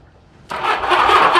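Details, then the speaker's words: 1982 Honda Goldwing GL1100 barn find, sat about 20 years, battery possibly dead, on a jump box boost: brief labored starter churn, reluctant but showing compression strokes, turns over sluggishly without firing: slow cranking. "we have crank and it sounds like we have compression it's not it's not happy about crank but my jump box quit"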